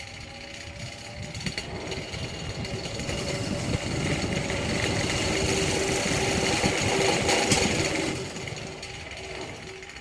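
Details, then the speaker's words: Old electric fan with knackered blades, one bad blade off-center; spins up with fast steady knocking near four per second and rattling wobble, fan walking across the washing machine from blade imbalance. "yeah I think these blades are knackered and that bad one is doing a badge at the center so yeah probably not gonna get much because like I said this thing wants to do the Boogaloo across the washing machine"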